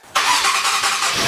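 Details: Alfa Romeo Stelvio Quadrifoglio starting after its battery went flat from sitting four days and was disconnected; dash warnings showing. A sudden catch and an immediate strong, even roar settle into a steady run: a clean start with no hesitation or grinding.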